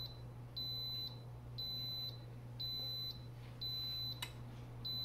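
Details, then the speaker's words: Instant Pot on sauté function: five short high beeps about one per second over low mains hum as it switches to off after reaching maximum level; normal auto-off beep. "hear it switched to off it turned off the machine when the satellite function reached the maximum level of pressure so it will stop there"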